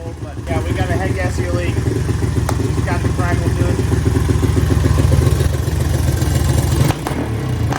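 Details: Honda ATC 200X barn-find three-wheeler, parked a year over timing issues, first run after carb cleaning, valve adjustment and timing change: loud, uneven putter at three to four beats a second that never settles; blown head gasket.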